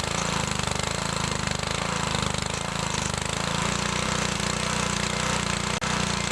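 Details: Older Briggs & Stratton 3.5 HP mower engine without primer, after carburetor and diaphragm rebuild, mixture set 1 3/4 turns out: steady even rapid single-cylinder beat, no misses; runs fine.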